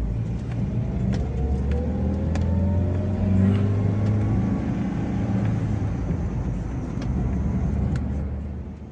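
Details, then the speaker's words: 2013 Daihatsu Xenia with electric power steering, road test on a rocky road after repairing the steering gearbox/rack that caused a front-end knock felt in the steering wheel: steady low tyre rumble, no clunks. The steering is normal again. "Ya sudah halus tidak ada bunyi kasar ya yang bunyi krutuk-klutut di bagian kaki-kaki depan yang terasa di setir"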